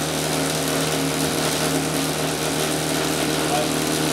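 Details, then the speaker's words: Clear-sided pump: a rushing, crackling hiss over the running hum as cavitation forms at the throttled valve. Closing the valve further moves the cavitation into the impeller eye; the flow meter drops. "okay got cavitation right here at the valve if I continue to close the valve I'll move the cavitation right in there to the eye of the appell"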